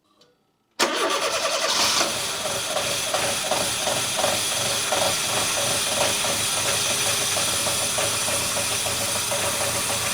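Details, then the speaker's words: 1999 Fiat Panda 4x4, 1.1 FIRE fuel-injected, turbo kit removed and reverted to standard with a possibly wrong airbox, 230 psi compression on all four cylinders. First run that stays running: an uneven, stumbling, misfiring idle that stalls and is undrivable; cause unknown. "And yes, it runs, but it runs extremely poorly. It is not drivable."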